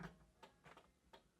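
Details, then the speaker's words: Porsche 911 backdate with temporary four-cylinder setup, left turn signal tested through a thin jumper lead: crisp, evenly spaced flasher clicks about twice a second, quiet background; normal turn signal flasher working. "yeah I hear it blinking that's the left"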